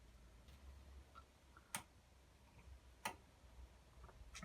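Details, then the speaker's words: Bosch Varioperfect washing machine, error code 43: periodic relay clicks over faint hum, motor not starting; motor later found faulty through carbon brushes; pinched cable or controller also suspected. "Click, click. It's obviously not getting through, so what we'll look for is a pinched cable."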